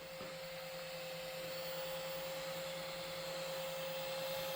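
Steady, faint, even whir with a constant mid-pitch tone and no rattle or wobble; the bulb's little cooling fan is spinning fine.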